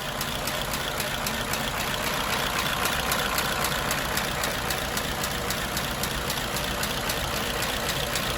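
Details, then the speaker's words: 1934 Ford Model BB dually truck, 89-year-old flathead V8, after adding an electric priming fuel pump for hard starting after sitting: soft, even idle with a light regular tick about twice a second, running smoothly. "there you go all hooked up and running sweet"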